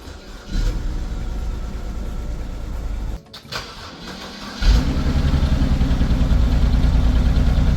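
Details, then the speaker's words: 2011 BMW 328i xDrive (E90) with very high mileage: petrol engine runs rough, drops off, then restarts into an uneven, lumpy idle, a pretty decent misfire. "Yeah, so obviously it has a pretty decent misfire."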